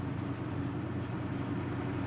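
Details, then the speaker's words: Haier Serenity 6000 BTU window air conditioner on high fan speed; steady, even low-pitched hum of compressor and fan, smooth with no rattles or knocks, a quiet, healthy unit. "I think it's that the speed high it's the maximum speed of the compressor and the fan that it's a pretty powerful it's a pretty powerful air conditioner actually"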